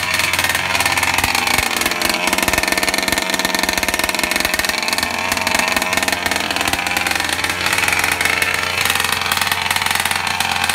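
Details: Rovan LT 320 32cc two-stroke RC engine on its first-ever run during break-in, compression 190/188. It gives a steady, high-pitched, buzzy, even idle while warming up without revving.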